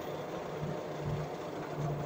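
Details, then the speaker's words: Electric RZR side-by-side conversion with a Continental SilentSync belt drive, driving on pavement: only a steady low tyre rumble and some plastic and suspension creaking, with no slap, squeal or whine from the belt. Normal, quiet belt drive. "So here we go, no noise. All you hear is creaking of just suspension, just plastic creaking."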